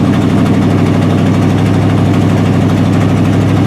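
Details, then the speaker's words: Old Buick engine cold-started at about 40s °F, at high idle: loud, with a quick puffing tap about three per second that follows engine speed. Exhaust is felt escaping and the tapping is louder when cold. Bad exhaust manifold gasket leak. "at high idle it's loud I love it and you can certainly hear that"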